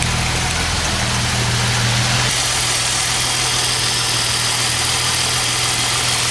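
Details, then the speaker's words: Jeep Wagoneer XJ cold start after sitting a few days, fuel pump ballast resistor bypassed to fix warm no-restart: took a few cranks, then smooth even cold idle with steady low rumble, no misses, knocks or ticks; alternator charging. "took a few cranks but she started see was good alternator's charging living that life and she's cold"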